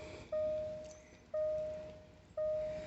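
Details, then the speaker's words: 2016 Range Rover L405 TD6 diesel, hood open, ignition on without starting after AdBlue refill: clear bong tone repeating about once a second, each ringing and fading evenly, with clicks; normal warning chimes. "a whole bunch of bongs and clicks and whatnot. It's got all the bings and bongs."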